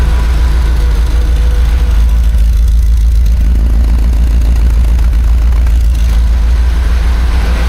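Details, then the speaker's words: 1976 BMW 2002 restored carbureted engine on first run, just started and warming up: deep, even, quiet idle with steady low rumble, no knocks or misses; normal idle. "We'll let it warm up and maybe then we'll see if it'll settle down. [Music] Sounds like a pretty happy machine."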